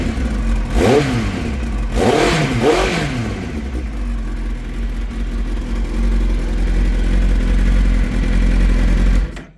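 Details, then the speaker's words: Kawasaki ZX-9R started after sitting almost a year (last used for a track day), fresh battery fitted: three quick throttle blips rise and fall cleanly, then an even idle with no rattling or ticking; normal revving. "No rattling or ticking or nothing."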